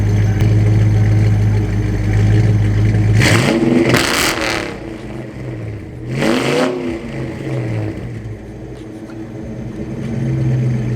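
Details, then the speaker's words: 1995 Mustang Cobra with BBK shorty headers, off-road pipe and Flowmaster American Thunder catback: deep steady idle, then two quick throttle blips climbing and falling cleanly with a slightly loud exhaust; healthy engine. "I get a little rowdy. It's not that rowdy, but it sounds good."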